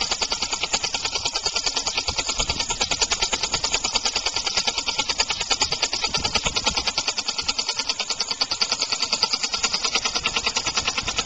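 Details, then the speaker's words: Homemade compressed-air engine (aluminum valve shaft/crankshaft in a steel bore, sloppier after about 15 minutes' running), started just past top dead center: rapid hissing air pulses about three per second, slightly uneven beat; unbalanced flywheel and valve timing set too early. "You do the valve the same way, I suppose, but just put a bearing on either end. That would make it last a whole heck of a lot longer and run smoother."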